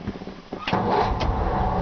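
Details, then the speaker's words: 1954 Ford F-100, matching-numbers truck, original push-button start and manual choke, windows up: barely half a second of cranking before it fires and settles into a smooth, steady idle. Healthy quick start. "You barely touch the button, it fires right up."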